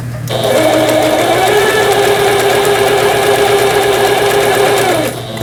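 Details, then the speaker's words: Japanese-market 110V Singer 7430 sewing machine, repaired after being run on 220V burnt its capacitors, fuse and coil; steady, even motor hum with smooth stitching, and reverse and zigzag work normally. "예 후진 버튼 정상 작동되고 있고 요게 이제 지그잭 패턴이 되겠습니다 지그잭 바느질 되고 있고요"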